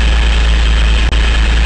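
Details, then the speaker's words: 1964 C50 truck, straight six, first drive in five years: fires right off on the key with oil pressure, deep steady low rumble, even beat, no knocks or misses; healthy idle. "Okay, that's a good sign. Fired right off when I flip the key, making oil pressure."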